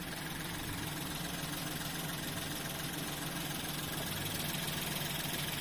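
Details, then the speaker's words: Nissan Pixo (Suzuki Alto twin) after cleaning the throttle body to fix an unstable idle that vibrated more before: quiet, steady idle with an even beat and no hunting or stumbling. Cleaning the throttle body cured it; now normal. "on va parler le bruit du moteur là pour moi c'est bon les amis pour moi en fait c'était ça c'était ça qu'il fallait nettoyer"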